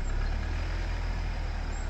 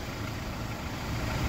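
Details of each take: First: Jeep Wrangler JL 2.0 engine at cold idle: steady light tapping, about three to four per second, over the low engine note; oil level checked at exactly half; cold-start knock of unknown source that disappears once warm. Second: Jeep Wrangler JL 2.0 fully warmed after about 15 km of driving, oil level at half: a steady, even idle with a smooth low hum and no ticking or knocking. Normal warm idle; the knock is heard only when cold.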